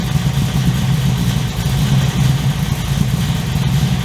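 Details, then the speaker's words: 355 stroker V8 in an HX one-tonner after 11 years stored, second start, recorded on a walk-around shotgun mic; deep, steady lopey idle with a firm even burble through a loud exhaust, no misses or knocks. "The idle is nice and tough as well. The thing runs, yeah, really nicely for sittin"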